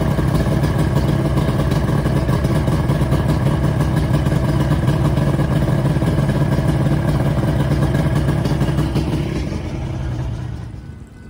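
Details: Johnson/Evinrude outboard after cold-start primer solenoid repair fires straight away and settles into a steady, even rapid beat with no stumbling; healthy normal running, primer system now working.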